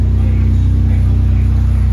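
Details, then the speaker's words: Project car at idle after new exhaust and piping installed (headers not yet replaced): deep, even low drone with a steady pulse and no rasp or blowing leak; the earlier loud exhaust noise is gone, now quiet. "Wala na sigaw. Ayos na mga boss, tahimik na."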